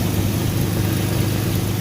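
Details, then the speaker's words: 2003 Ford Explorer 4.0L V6, first start after spark plug replacement (old plugs had fried tips): fires right up into a smooth, even low rumble with no misses; healthy idle. "I'll turn it on for the first time. It sounds good. Fire right up, guys."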